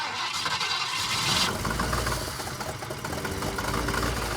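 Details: Ford Falcon that sat over 6 years, being started: cranks, catches, then chugs unevenly with irregular clunks and no steady beat; rough running from incorrectly set ignition timing.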